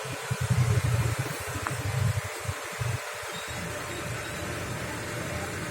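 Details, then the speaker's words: Older car idling cold during a morning warm-up, with thin exhaust smoke and water vapor considered normal: an even, low idle rumble with a gentle steady pulse and no knocks or rattles; the engine is still smooth and normal. "Dan mesin juga masih halus, kita dengarkan suaranya. Masih agak halus, masih normal suara mesin."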